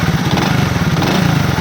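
Steady, even single-cylinder idle with a smooth low beat and no knocking over it; the engine sounds healthy.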